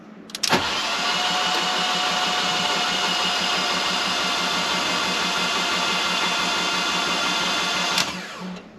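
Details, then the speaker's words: Fiat 500 TwinAir with a fresh replacement engine, plugs out and fuel pump relay removed: an even, high starter whir for about seven seconds with no firing; the oil light goes out on the second crank and oil pressure is primed. "okay so the oil light has gone out on just the second crank now so i think that is basically all there was to it"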